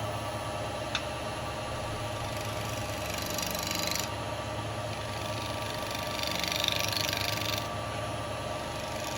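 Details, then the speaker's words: Wood lathe turning a bowling ball with carbide chisels, out of round at first: even, steady cutting hiss with no chatter or catches, only a couple of light bumps; smooth cutting. "all right okay it's getting there I'm getting smoother Cuts I can hear the difference on it"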